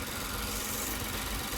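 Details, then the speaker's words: Toyota Avalon just started following a no-start: short stretch of shaky, lumpy idle, misfiring; suspected water in injectors and spark plugs, expected to smooth out as it dries. Fuel pressure 43–44 psi. "Mamaliang lang to sa una pero pag nalinis na yun o matanggal na yung mga tubig-tubig sa injector saka sa spark plug. Titining na yung andar na yan."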